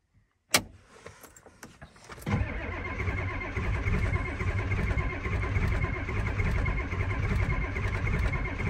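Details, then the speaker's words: Ford F250 7.3 IDI diesel cold start: a few clicks, then the starter cranks steadily about three and a half beats a second and never fires; no-start, glow plugs not working, owner suspects ground, switch or loose wire. "little bugs aren't working so we got an issue somewhere here ground or it's not trying to fire but we got no gold plugs so we got an issue somewhere here"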